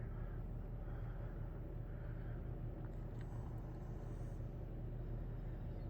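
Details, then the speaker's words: 1990 Halsey-made Seville 52-inch ceiling fan in like-new condition running on low, a low steady hum with a faint slow pulse under a whole-house fan in the background; motor hum. "I think this fan does have a bit of home to it which is going to happen on"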